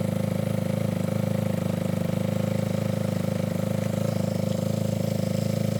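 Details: Yamaha ATV single-cylinder engine idling after carburetor cleaning and about four float adjustments, clearing leftover WD-40: steady thumping at about four beats a second, even and smooth, no misses or stumbles. Healthy idle.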